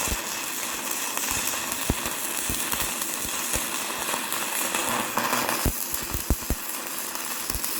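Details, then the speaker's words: YESWELDER 205DS on 110V, first gasless flux-core beads on DCEN with settings not dialed in: ragged crackling arc with frequent sharp pops instead of a smooth sizzle, producing heavy spatter; switching to DCEP planned. "Overall, I was pretty happy with these beads considering they were the first ones on the new welder, and we didn't quite have the settings dialed in, but it was a good test run. I've always been taught to use DCEN for flux core, but I didn't like how much spatter it was producing, so I'm going to switch it to DCEP here"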